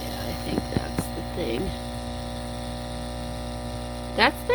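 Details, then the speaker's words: Furnace induction (inducer) fan energized during a test: steady low electrical hum with no spin-up and a faint rough grinding underneath; the motor is seized and won't turn, so a new induction fan is needed, third failure. "it sounds like it's not going to turn because all that grinding noise in here that's this making that noise i can feel it too"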